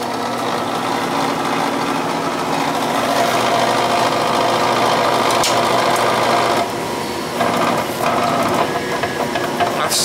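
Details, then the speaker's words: Gas furnace with no heat that fires then shuts off; quick, uneven chattering rattle rides on the inducer's whir, sounding loose (cause suspected, not confirmed). Rattling inducer motor noise. "so well for that sounds kinda loose seems loose"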